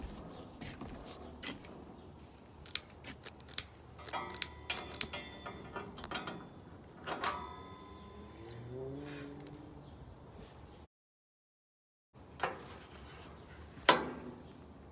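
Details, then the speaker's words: Masterchef propane BBQ before burner replacement: several sharp dry clicks a second or so apart while propane hisses, with no whoosh of flame; the igniter sparks but the burner never lights. "we got nothing lady it's almost when you turn it on you can hear the propane is hissing but it's not lighting"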